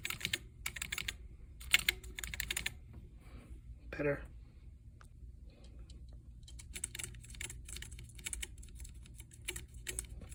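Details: Commodore SX-64 keyboard after trimming membrane edges overhanging the PCB posts: light crisp key clicks in quick runs with no scratch or drag; scratchy key sound fixed.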